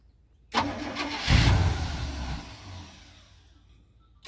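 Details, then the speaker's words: 1985 Winnebago Windsor motorhome, 454 big-block V8 with Turbo 400, 32,700 miles, off the road nearly 17 years, fed from a bottle; quick crank, loud catch, steady even healthy idle, oil pressure good; normal start and idle. "have oil pressure that's good that sounds like all you got to do is keep feel going in it"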